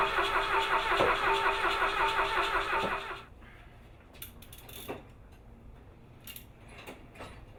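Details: Rally car engine after a spark plug firing check, ignition timing believed correct: starter churns evenly at a few beats per second for three seconds and never catches. Fuel later found leaking from the float bowl. Crank, no start.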